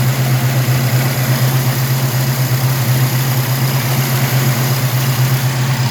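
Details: 1967 El Camino 427 big-block with MSD Atomic EFI (return-style fuel, O2 sensor in header), about 100 miles since install, warm: deep, steady idle with even lope, no knocks or ticks; running smooth and healthy.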